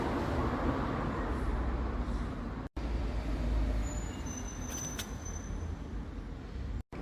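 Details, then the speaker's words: Inside a moving car: deep, steady road roar and hum resembling a droning wheel bearing, with vibration, caused by a deformed tire that visibly hops. "Aqui o que faz o pneu trepidar. Ó a deformação que ele tem aqui, ó. Ó como ele pula."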